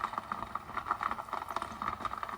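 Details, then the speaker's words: Nespresso Aeroccino 3 milk frother heating milk with chocolate drops added: quick, irregular light ticks over a faint motor hum as hard chocolate pieces rattle around before melting. "But by the sound of it, it's already worrying me a little bit. So do this at your own risk."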